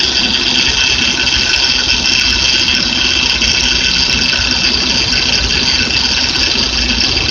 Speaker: Hey YouTube, this is what a bad power steering pump sounds like. A bad bearing inside the power steering pump. It's very noisy.